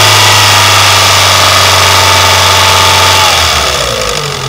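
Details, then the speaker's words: Renault Mégane II 1.6 with automatic gearbox, new intake camshaft fitted: a hard, fast ticking at about four a second rides over the revving engine and settles as revs drop; hydraulic lifters knocking, heard despite a loud exhaust. "сейчас по мере прогрева стук будет усиливаться и усиливаться это однозначно стучит стучат гидрокомпенсаторы"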